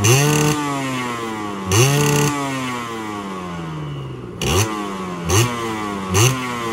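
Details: Yamaha 125Z two-stroke on a road test, first run after engine rebuild (damaged conrod addressed, magneto checked), stock exhaust: crisp short throttle bursts, clean on the overrun with no rumble on throttle-off; healthy engine.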